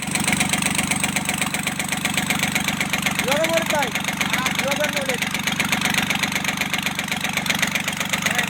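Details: Kubota L1-255 diesel: steady idle with a sharp, regular knock two or three times a second, with white smoke; failing cylinder head, repair: replacing the head.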